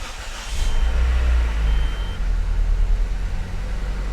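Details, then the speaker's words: Nissan 200SX after replacing the mass airflow sensor (the only fault code) and clearing codes: engine cranks briefly, catches and settles into a steady cold-start run with no misfire or smoke; normal cold start. "it runs okay it runs and it's running well cold start so let's see if we get any smoke no no smoke"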